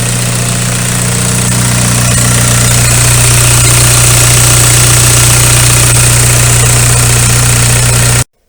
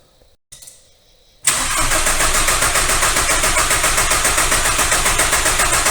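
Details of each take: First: VW ALH TDI diesel idling after injection pump head seal replacement and bleeding cracked fuel lines; smooth, regular clatter with no misses or knocks; no leaks on test drive, normal idle. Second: VW ALH TDI after replacing the injection pump head seal, with the injector fuel lines cracked to bleed air: a steady cranking rhythm of about three to four beats a second that never catches. It fails to start because of air in the fuel system.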